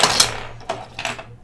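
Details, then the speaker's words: Rapoo 1620 mouse left button after repair of double-clicking fault: crisp separate single clicks, no double bounce; switching cleanly, fixed. "you just click and it's only one single click no double click no wall so the problem is fixed"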